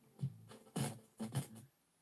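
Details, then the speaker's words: Quartz-lock direct-drive cassette deck in record level-setting mode, with line-in audio fed to it. Audio comes through in choppy crackling bursts, then cuts to silence as recording stops. Cause: a dirty switch that detects the erase-protect tab. "it's crackly and then it goes off but what's happened is it stopped recording it's not actually recording at the moment it's just so you can set your levels"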